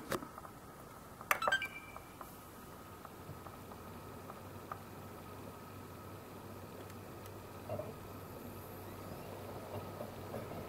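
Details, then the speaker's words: Xbox One S 500 GB console, compared against the owner's ticking 1TB unit: quiet, steady fan hum with a faint even tone, no ticking or clicking, normal fan noise. "so I think this is a normal fan noise it's no ticking or clicking like mine so this is pretty normal"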